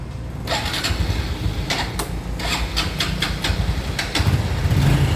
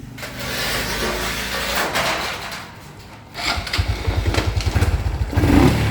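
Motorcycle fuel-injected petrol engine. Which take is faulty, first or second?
first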